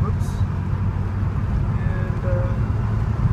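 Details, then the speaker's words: 1983 Porsche 911 SC driven over a rough bump: steady low cabin rumble with no clunks, knocks or grinding; suspension and running gear sound healthy. "everything's good we fif that's fish all right no grinding everything sounds good I think we got a winner here"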